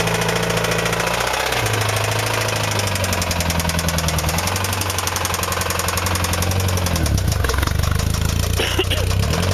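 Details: Honda S2000 at idle: harsh running with a rapid, even knock over the engine note, growing louder as the revs change; rod knock.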